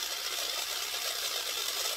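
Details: Lima Class 55 Deltic model loco motor, after oiling gears, powered straight from battery terminals: light even high-pitched whir with no catches or rattles; motor spins freely and smoothly.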